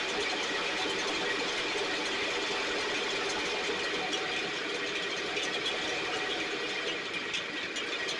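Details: STIHL backpack blower (believed 6R450), after cleaning and repair; idle previously fluctuated up and down and couldn't be adjusted. Steady high-pitched blower roar at even speed, no surging or dropouts, maybe slightly rich; running much better but still loading up a little, internal carbon buildup suspected.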